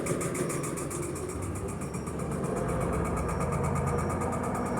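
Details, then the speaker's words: Electrolux Perfect Wash 16kg washing machine spinning at 630 rpm; fast thump about three to four times a second over a steady drum whir, machine shaking loudly, feet possibly out of level; cause not confirmed. "olha simplesmente continua fazendo barulho se a máquina banando não é bom"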